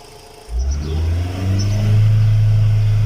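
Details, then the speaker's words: VW Gol 1.6 after fixing a misfire on cylinder 3 (power loss, pinging, EPC and check lights; codes cleared): engine catches at once and holds an even, steady hum with strong spark; runs smoothly on all cylinders. "y ahora si se debe escuchar la chispa perfecto de vean nada más como se oye luego luego la chispa entonces ya quedó funcionando"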